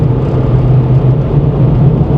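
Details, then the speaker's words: 1998 Ford Explorer, low mileage, all-wheel drive, cabin at highway cruise: steady low road and engine rumble with only a few tiny rattles barely audible, quiet for its age. "actually you probably won't hear them it's actually really quiet which is pretty impressive for a uh an American vehicle that's mostly plastic that was built in the 9s right"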